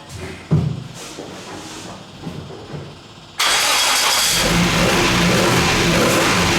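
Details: Classic Mini Gulf track car, starting up after the oil cooler install: quiet handling noises, then the engine fires abruptly into a steady, loud, even run with no knocks or misses; sounds healthy.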